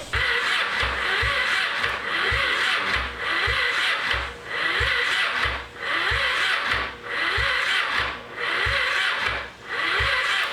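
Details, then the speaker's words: 2001 Kawasaki Ninja 250R bought as a project, starter jumped from a jump box: slow labouring cranking, under one surge per second, strong compression, never fires; suspected flooded, right carburetor found overflowing from the top. "We suspect the engine is flooded. I don't know, because it doesn't turn over very well. It makes a lot of compression though."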